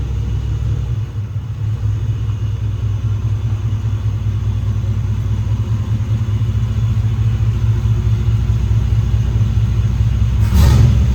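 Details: 1995 Chevrolet Z71 OBS pickup, 350 TBI V8, 205,904 miles on odometer, back of muffler blown off: loud deep raw idle with blatting unmuffled rumble; exhaust leak from blown muffler, needs muffler shop.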